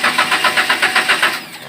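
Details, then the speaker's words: Daihatsu Gran Max, hard to start, code P0303 cylinder 3 misfire: starter cranks in even pulses, about eight a second, but engine never fires, then winds down; repeated start attempts fail. "kita start beberapa kali tidak mau hidup"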